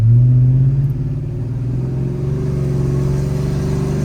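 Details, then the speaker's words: Cammed GMC truck after new alternator install, held near 3,000 rpm where voltage used to drop, then back to steady even rumble with no stumbling or misses; voltage holds, fixed. "all right guys so we're testing out the new alternator hopefully everything goes right uh before at 3 rpms we would start losing voltage so let's see if that happens now"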